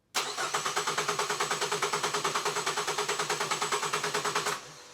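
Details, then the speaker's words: Ford Focus with fault code U1900 cranks steadily and never catches. There are no pulses at the injectors or coils while cranking with the ignition on, although the crank sensor signal is good. Internal PCM (engine control module) failure is suspected. "but I'm not getting any pulsing at my injectors or my coils, even though I'm cranking the engine with the ignition on. Problems? I think she's internal, mate."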